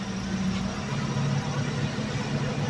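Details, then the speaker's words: Toyota Vios Dual VVT-i, concern low power, after replacing worn, wide-gapped spark plugs: steady, even idle with a smooth hum and no missed beats. Misfire gone and vibration reduced even with the AC on, a normal idle. "Okay. So kita natin dito mga bay na nawala na yung spfire natin. So pansin din natin dito sa kanyang ah makina ah hindi na ganon kalakas yung vibrate kasi kahit nakaano na tayo ah naka-aircon na."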